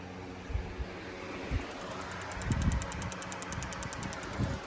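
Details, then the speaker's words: Fuel injector on a B5A4 car being fitted with a standalone ECU, engine off: fast, even light ticking about seven per second while fed 12 V directly from the battery, so the injector works; the harness supplied no power. "What Vince just did is put power directly to the injector from the battery."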